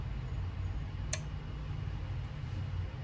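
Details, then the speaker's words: Prius electric power steering unit on the bench for a Willys CJ2A with Toyota steering box: quiet hum, then one soft sharp click as an ignition-on wire is connected and the unit powers up normally. "this is like an ignition on wire here it clicked did you hear a click here listen"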